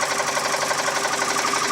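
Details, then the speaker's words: 2003 US-market Mazda 6 2.3L petrol engine with a fast, even bicycle-ratchet-like ticking chatter rising with throttle; no bearing debris in oil, chain tight; cause unknown engine ticking knock. "стук не похожи ни на вкладыше не на цепь не понятно что это за стук такой трещотка на велосипеде"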